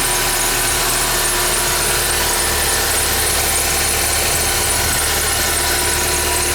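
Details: 2011 Ford Fiesta with 10,000 km: loud hissy high squeal sits steadily over a low idling engine just after cold start; source of the squeal not pinned down.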